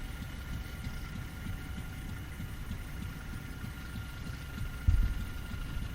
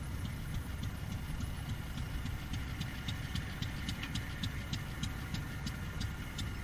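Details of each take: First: Fairbanks 208 single-cylinder oil-well engine, just started by spinning the flywheel after a pump change, likely being fed gasoline since well gas is weak; slow, steady low thumping with even beats, no misses, running okay. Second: Fairbanks 208 single-cylinder oil-well engine just started by spinning the flywheel: slow, uneven firing pops that keep faltering, struggling to stay running; suspected not enough gas coming off the well yet, probably fed gasoline.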